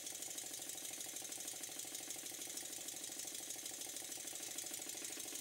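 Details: Stuart Models twin-cylinder steam engine, after a very fine adjustment to cure a slight knock from one cylinder: quick, crisp exhaust beats about three a second, evenly spaced and steady; it runs smoothly and in balance.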